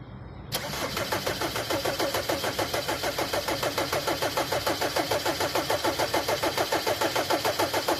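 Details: Mercedes Vito hard to start; starter cranks steadily about three and a half times a second for nearly eight seconds without catching: hard starting, long crank.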